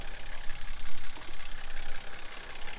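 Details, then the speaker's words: BMW E90 N52 engine idling about five minutes with Motor Medic flush in the oil, after valve cover work: low, steady, smooth idle with no clear tick; normal idle. "it's pretty much a normal operation right now the way it sounds which is pretty good since it's full of that real thin uh liquid"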